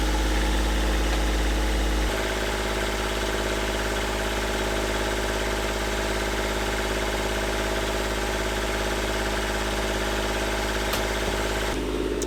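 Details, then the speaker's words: Old Volvo marine diesel, first start in cold weather after mounting a new exhaust manifold: it settles into a steady idle with a faint clatter. A head gasket fault plus heat exchanger and manifold problems are suspected but not yet confirmed. "I do suspect that we might have a problem with the head gasket in addition to the problem with the heat exchanger and the exhaust manifold but I won't know for sure until I start it up and test everything so let's do that okay"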